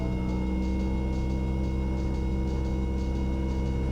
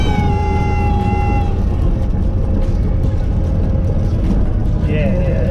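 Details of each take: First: Light aircraft in flight during a student pilot lesson, a little more power added: thin steady stall warning horn whine over the deep, even piston engine drone, warning that the wing is no longer producing lift. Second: Light training aircraft on a student pilot's 10th flight lesson, landing flare in gusty wind. Over cockpit engine and wind noise, a steady high reedy tone for about 1.5 seconds, then warbling squeaks: the stall warning horn.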